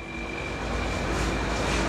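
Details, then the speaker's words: Yamaha YTX 125 single-cylinder motorcycle just cold-started after 10 days parked with fuel cock off; idling to circulate oil. Even steady idle with faint high whine, no stumbling or dying. Normal idle. "So ayan, idle lang. Pero ang maganda nito, hindi siya namamatay."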